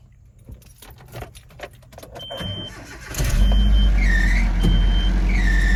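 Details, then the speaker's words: Nissan Frontier at startup, before the alternator belt was replaced. After cranking, high chirping squeals come and go. A loose alternator belt is slipping, with its tensioner near maximum reach. "Uh, my neighbor just trying to save a buck or two, which I understand. So, we still get the squeal and put startup."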